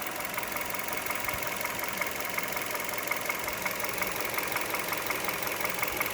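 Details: 2011 Hyundai Solaris, G4FC engine, 166k km, fully warm at 92°C after a cold 15°C morning start; timing chain, tensioner and phaser replaced. Light sharp ticking knock, about three beats a second, appears at hot idle, fades when revs rise; source not found.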